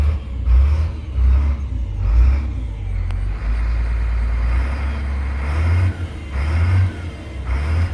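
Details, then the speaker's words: School bus bought with over 180,000 miles, driving: steady deep engine drone rising and easing with throttle, no smoke, knocks or misses; engine healthy, though an unidentified rattle exists elsewhere. "no smoke coming out of that thing. Listen to that. It drives great. It really does."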